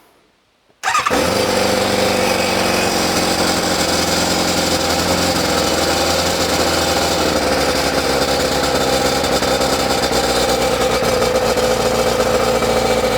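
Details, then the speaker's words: ZZR600 four-cylinder under restoration, restarted after fitting a cap in the exhaust: catches and settles into a steady, even idle on all four cylinders. Normal idle, though it hangs slightly on revs; owner hopes a mixture adjustment will help. "So, so we're idling nicely. We are definitely running on all four cylinders."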